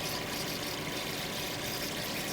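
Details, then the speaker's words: 2017 Infiniti QX30 at idle: a steady airy hiss, as if it is sucking up coolant; an unusual sucking noise whose cause is not confirmed. "there's a weird sound in there kind of like like it's trying to suck up some more of that coolant"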